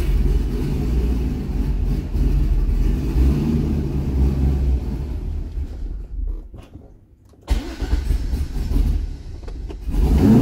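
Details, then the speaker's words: C6 Corvette V8 after an aggressive cam and long-tube header swap, still on the old tune: lumpy uneven idle sags and nearly dies halfway, then catches; undrivable and stalls. Rough running and stalling from the mistuned engine. "It's really not that happy. It just died again. I'm going to call it. It's just running too crappy."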